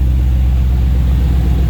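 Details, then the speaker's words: Ford Capri with swapped Mercedes M113 5.0 L V8, fuel table untuned, top-end noise quieted after running (hydraulic lifters suspected): deep, even burble, no stumbles, no smoke; smooth normal idle, deliberate exhaust leaks present. "Running smooth, very smooth. Good few exhaust leaks to fix, but that's on purpose. No smoke."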